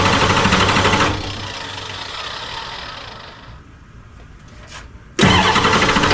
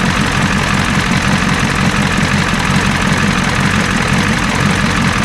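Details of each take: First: 1986 F350 diesel after fuel return lines were replaced: it cranks and catches, falls away, then a second start holds on a loud clattering idle; the owner worried it sounded like a bent rod. Hard starting, with air in the fuel lines suspected. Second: 1986 Ford F350 diesel after fuel return rail repair, now running off the tank: steady, deep idle with even clatter, no misses or surging; healthy idle.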